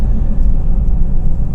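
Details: 2011 Ford F-150 EcoBoost road test after replacing turbo bypass valve diaphragm: steady deep even rumble through critical rpm, no moan, slight tire noise; normal running under load, induction moan fixed.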